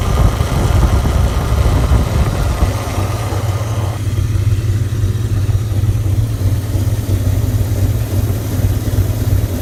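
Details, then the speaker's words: 1998 Dodge Ram 5.9L Magnum V8 at idle, with a cracked catalytic converter and heavy blue smoke, no overheating or oil pressure loss: heavy idle with an irregular stumble and uneven pulses, a nasty misfire; cause suspected, not confirmed. "and again like I said again like I said it doesn't overheat and doesn't lose oil pressure nothing like that it just has a really nasty misfire and a lot of blue smoke"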